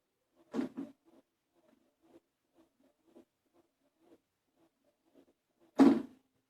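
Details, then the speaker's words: 1997 Toyota Starlet EP91, hydraulic clutch, after greasing the slave cylinder pushrod and fork pivot ball with bearing grease: pedal cycles with only dull thumps, no squeak. Quiet clutch operation after the fix. "no squeaking yay that's how we like it"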